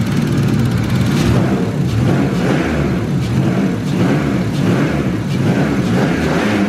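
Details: E36 with turbo M50B30 after heavy-duty clutch install, first start after oil pressure build-up: fires and settles into steady run with mild even surges, no misses or knocks; normal idle.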